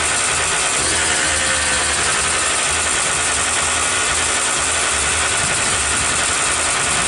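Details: 2003 Kawasaki KX125 two-stroke, previously a no-start with an oil-fouled, sooty plug, now running after a fuel change. A buzzy, crackling note holds steady for seconds without stumbling or dying. Normal running.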